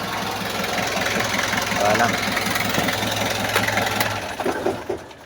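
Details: Kia Bongo diesel after fixing hard starting and white smoke on first morning start: steady diesel clatter at idle with no stumbling, then dies away at shutoff; normal idle.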